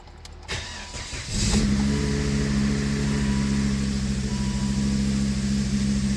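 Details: 2006 Volvo S40 started after water pump and timing belt replacement and coolant refill. A short crank catches within a second, then a smooth, steady idle with no knocks or rattles and no check engine light. Normal start and idle.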